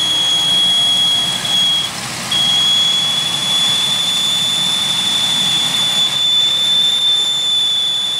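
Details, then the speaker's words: 2001 Pontiac Aztek just revived after sitting since February, heater on: steady high whistle over quiet idle, briefly dropping out; leak-type whistle, misfire still reported, cause unconfirmed. "okay let's see what happens here's the whistle [Music] my god that noise"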